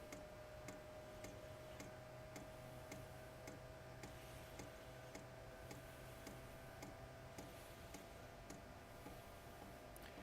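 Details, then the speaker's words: New BougeRV 5 kW diesel heater at first startup: soft steady fuel-pump ticking just under two per second over faint hum, expected to quiet once warmed up; normal startup pump clicking. "All right, guys, the diesel pump is starting to click. It's a pretty good clunk there. Clunk, clunk, clunk."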